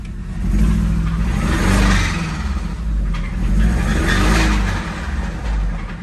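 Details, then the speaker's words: 2005 Mini Cooper S R52 convertible, supercharged, bought with a noisy engine, jump-started, oil unchecked: engine revved up and down with a rough knocking undertone following the revs, apparently deep in the engine. "yeah it don't sound happy"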